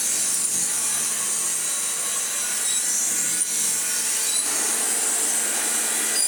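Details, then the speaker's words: Hoover Junior 1334 upright vacuum, first run: harsh high steady screech without rhythm; something worn over brush roll or motor, possibly both, smooths out somewhat while running. "alarming noises aside all the it's working now there we go"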